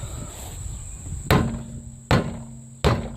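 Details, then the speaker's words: 2004 Mercedes C320 4Matic, passenger-side front wheel rocked by hand on jack: three heavy knocks; outer tie rod end bad, possibly inner tie rod end too; steering clunk. "or the more i play around with this it might be this inner tie rod end because i hear a noise up in here"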